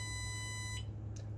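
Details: Truck during air brake pre-trip leak test, engine idling, tanks about 112 and 120 psi: steady high bright chime over low idle rumble, then cuts off; seat belt reminder because driver's belt not latched.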